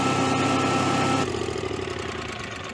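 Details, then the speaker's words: Generac-built Honeywell standby generator that tripped on overspeed. After start it cranks faster and the engine note keeps climbing past governed speed; resistances check equal, and wiring or the control module is suspected, not confirmed. "it cranks a little faster still high rpm [Music] and slowly building up"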